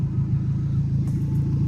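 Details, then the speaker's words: 2000 Nissan Frontier just after a new alternator and new battery install, reading about 12.1 V, no belt squeal: steady deep rumble at idle with an even, loud exhaust note, loud because the exhaust ends short; engine itself idling fine. "but it's all good we're idling fine and if you want to know why it's loud look right there that's where my exhaust ends"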